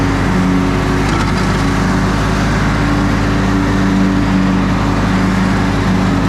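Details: Older Briggs & Stratton Sentinel by Murray ride-on mower after starter drive gear replacement: engine holds a steady, even drone under load with no misses, surging or knocks; mower running and cutting fine.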